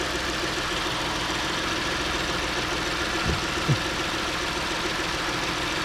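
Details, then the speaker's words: 2010 Ford Edge 3.5L V6 first start after valve cover gasket replacement: smooth even idle, steady hum, no ticking, knocking or misses; running healthy. "yeah sounds good yep I didn't hear any weird noises"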